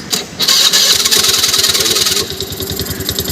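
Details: Honda Activa 4G scooter, self-start cranking: harsh high-pitched rattling whir before the engine catches and settles; bent crankshaft end fouls the starter, fixed by straightening the crank.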